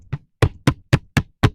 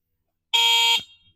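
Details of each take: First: Gokeep F5 electric scooter, 52V 20Ah, stock condition: six sharp hollow knocks about a quarter second apart as the deck is jolted; battery is unsupported and shifting loose inside the deck. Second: Gokeep F5 electric scooter, 52V 20Ah battery: one short, loud, shrill electric horn blast of about half a second, steady pitch, described as loud as a scooter horn; horn works properly.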